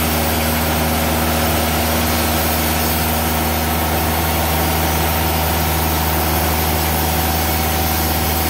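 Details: Timberking 2000 sawmill diesel engine making a cut with clutch engaged, after installing lube-system solenoid valve (water flowing): steady even drone with low hum, no knocks or misses; normal running under load.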